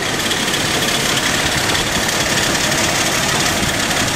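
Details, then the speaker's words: Cold, worn-out AMC Eagle engine, fire-up after a carburetor swap, with the vacuum advance moved to manifold vacuum and heavy blow-by smoke from the cap. It idles loud, lumpy and uneven; the owner suspects a miss on one cylinder, unconfirmed, and says it needs warming up. "holy [ __ ] it's running though it's rough but at least it's running"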